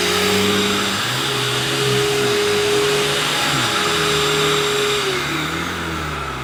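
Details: 1990s UK-made Hoover U2090 Turbopower 2 upright vacuum on a higher setting, still on its old belt: steady, even motor whine over a smooth brush hum with no rumble or flapping; running normally.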